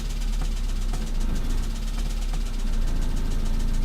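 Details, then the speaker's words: Tavria MeMZ-245 engine, ~800 km after overhaul with Avtramat pistons, blipping throttle: low rumble with irregular light knocks louder on throttle release, softer under load, louder with cylinder 4 disabled; piston pin knock, cylinder 4 piston found loose. "Пробуем дать газ и сбросить. Под сброс звук усиливается."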